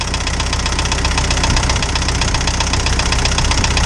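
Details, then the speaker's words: Isuzu 4BD2T indirect-injection turbo diesel in a snowcat, just restarted cold after a new head and exhaust-to-coolant leak repair: steady sharp clatter about four per second over a deep idle rumble, normal for this engine. "they're just really clackety especially the indirect injection motors for whatever reason they're just really noisy"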